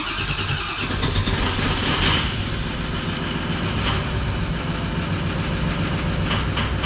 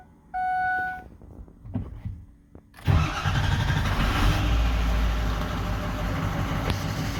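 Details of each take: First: 2004 Ford 6.0L Powerstroke diesel: long crank finally catching into a rough, uneven idle only with the ICP sensor unplugged, too much pressure at idle; ICP sensor circuit low, crank-no-start. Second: 2004 Ford 6.0L Powerstroke diesel after repairing damaged wiring: chime, short crank, fires promptly and settles into a steady even idle clatter; crank-no-start fixed, normal idle.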